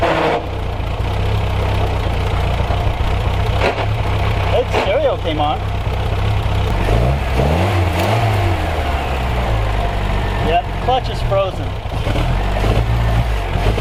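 Small four-cylinder fires up and runs steady and even with no knocks or misses, healthy despite sitting in storage for years.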